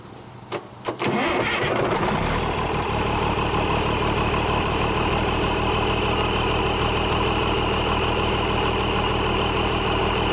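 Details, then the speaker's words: International DT466 diesel, first start in 8 years; starter cranks briefly, engine catches and settles into a steady, even idle with no knocks or misses, running healthy. "sounds good looks like it's going to run all right uh I think everything will be fine on it"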